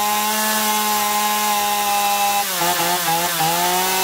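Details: Two-stroke chainsaw after carburettor cleaning (had surged and lost power even unloaded), both L and H screws set fully in then out 1.5 turns: steady high revs, slight sag as chain bites wood, picks straight back up; runs clean.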